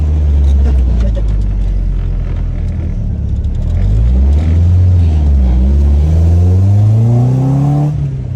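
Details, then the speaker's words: Nissan 240SX revived with a new chassis harness, running and driving after the junk Rock Auto injectors were replaced. It pulls cleanly through a long, smooth rise in revs with a steady, even note and no misses or knocks; running normally. "240 is running and driving. Um, it actually runs and it runs surprisingly well."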